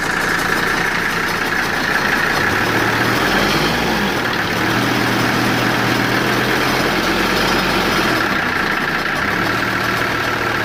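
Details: Mercedes W123 idling with steady chatter and faint repeating knock near four per second; attributed to bad fan clutch, not engine knock.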